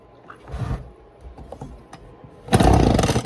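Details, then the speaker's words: Echo PB-200 small two-stroke blower after carburetor cleaning and refitting with fresh gas: a couple of pulls, then a short ragged burst that dies at once; cranks but won't keep running. Owner suspects a new carburetor may be needed. "I mean, it's not like that cleaning I did was going to suddenly make the motor run, but I am stuck. I don't know. I might have to get a new carburetor for it."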